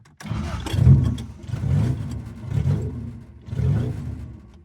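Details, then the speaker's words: Rebuilt Toyota 4AGE with new head gasket in a 1975 Corolla KE35, running with no exhaust on the manifold: four short throttle blips, loud and uneven, coarse revs; ignition timing is off and it will not idle. "Wow. That's open manifold. Holy [ __ ] that's loud. Okay, so timing is bad, obviously."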